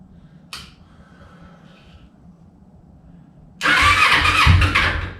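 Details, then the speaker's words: Kawasaki Ninja 250 CCS 300 race build, first startup: open carbs with no filter choked by hand, radiator off for repair. A short crank, then the twin catches and revs roughly before easing off, with heat felt on both cylinders; normal cold start. "i feel heat there on that side i feel heat build on that side so we are idling on both jugs"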